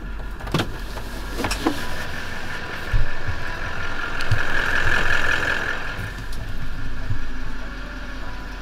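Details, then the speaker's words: Toyota LandCruiser Troopy diesel idling in neutral with a thin, steady high squeal that goes away when the clutch is pressed. Diagnosed as a worn clutch throw-out bearing, or possibly the clutch fork; the gearbox was removed for repair. "the troopy has decided to develop a squeaky throw out bearing and that's diagnosed like this so whether or not this can be picked up on the video I do not know but when I'm just driving along normally you can hear a weird squeaking"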